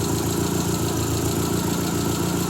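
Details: Triumph Spitfire, cold, idling in the garage during winter storage: a faint regular puffing tick over the exhaust note. Owner suspects a small exhaust leak at the manifold; oil pressure about 60–65.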